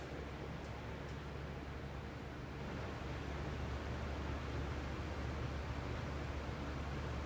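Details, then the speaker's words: Lasko B20310 box fan with the weaker capacitor, on low speed: a soft, even airy whoosh with a faint low hum and no rattles or ticking; very quiet normal running, though the fan shakes. "This thing is dead silent. It's like really, really quiet. It's quiet on medium. It's quiet on low."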